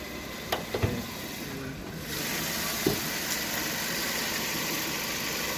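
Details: 2010 Kia Rio that had a P0339 crankshaft position sensor code and would not start, now repaired. A few handling knocks, then a smooth, even idle hum with no misses or knocks; the engine sounds healthy at idle.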